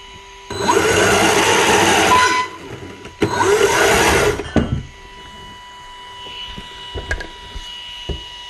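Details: Micro e-bike with modified throttle: two short bursts of motor whirr spinning up and cutting off cleanly; smooth, even throttle response, motor healthy.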